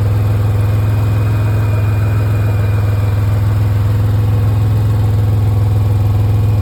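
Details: 2005 Pontiac Grand Prix GTP with little to no rust at idle: deep steady drone with a faint rhythmic puffing beat riding on it, an exhaust leak the owner needs fixed.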